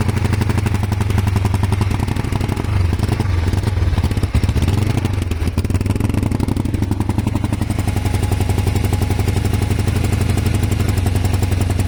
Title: Kawasaki er500 white smoke misfire broken head gasket? advice needed please